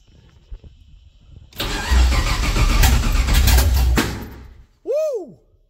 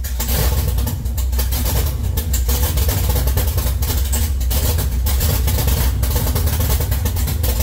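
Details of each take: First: 1969 Camaro with LS3 V8 swap on a Holley ECU, first fuel-injected start: rough sputtering catch with loud irregular pops and bangs, then cuts out; backfiring and misfire. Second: 1969 Camaro LS3 swap, Holley ECU, open headers: loud crackling V8 with a strong even beat, throttle held up to keep it idling; running on all eight cylinders.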